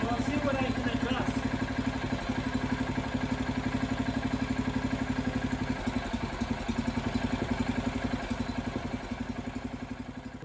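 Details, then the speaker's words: Freshly rebuilt Kohler K341 AQS in a John Deere 300 garden tractor, second startup on bottle fuel, carburetor not yet tuned, engine held by three bolts; steady single-cylinder putter about four beats a second fading without misses; normal idle. "right there was the second startup of the kohler engine on the john deere 300 everything seemed to work perfectly"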